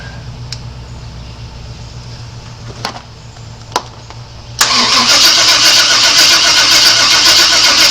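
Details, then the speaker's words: 1997 Chevy Suburban that sat for years: a few clicks, then a steady fast starter whirr at about four turns a second that never catches. The coil makes spark but the distributor appears to put out none; cause not yet pinned down. "and that's what it is no Sparky no Sparky Sparky coming from the distributor"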